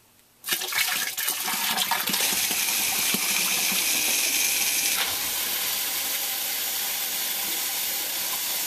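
Sudden steady rush of flowing water starts and holds evenly with no knocking or grinding, sounding like the backup pump running normally.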